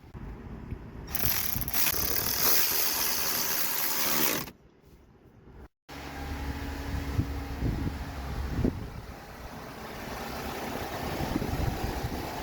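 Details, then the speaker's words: 2008 Lexus RX350 just after serpentine belt replacement, cover refitted: loud cranking burst, engine catches and settles into a steady even idle with no belt squeal or chirp; normal idle. "Just cover back on and start it up. Make sure it doesn't have any issues."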